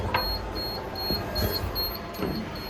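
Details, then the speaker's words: Used Touchline CF375 paper folder under repair with a door open: steady train of short high-pitched beeps about two a second; door-open warning beeping. "that does nothing now it's freaking out because the doors open"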